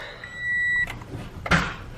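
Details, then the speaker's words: Subaru BRZ unstarted about a week, battery dead, battery fitted, power cutting in and out: a chime, then one dull clunk with no cranking and no catch; no-start, cause unknown, owner tries disconnecting and reconnecting battery. "Nope. That is... What the hell? I have never seen that before. I don't really get what's going on with the car right now."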